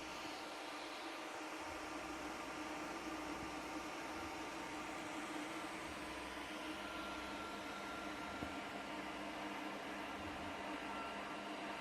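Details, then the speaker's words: Geeetech A20M 3D printer (2020 version) idle with motors off, fans only: two 30mm hotend fans, radial fan and very loud 60mm electronics cooling fan under the printer give a loud airy whoosh, low hum and faint whine; excessive cooling fan noise. "Et ici, le bruit ne provient uniquement que des ventilateurs. Alors imaginez un peu lorsque l'imprimante est en route et que les moteurs fonctionnent."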